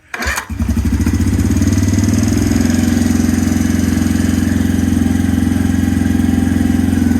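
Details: 2017 Suzuki QuadSport Z90 90cc four-stroke ATV, after carburetor clean, draining old fuel and adding fresh fuel, old spark plug installed: cranks, catches within half a second and settles into an even, steady thumping idle with no misses; sounds healthy.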